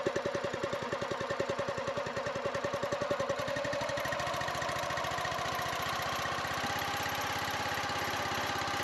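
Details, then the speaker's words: New single-cylinder Chinese Honda-style gas engine on an eBay log splitter kit, first start at low idle to break in the rings, freshly oiled and fuelled: even firing putter that smooths out. Normal break-in idle. "I'm gonna crank it at a low idle. If it runs. Break the rings in a little bit before you run it wide open."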